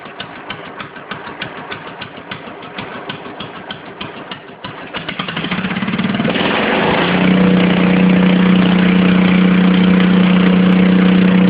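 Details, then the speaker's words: Stock 10 hp Cub Cadet puller single-cylinder engine, leaking a little oil at the crankcase breather: pops into life at a steady chuff, then climbs to an even, smooth high drone. Normal startup and rev. "got the tack on there runs all good all right I'm fire it up for you let you hear it"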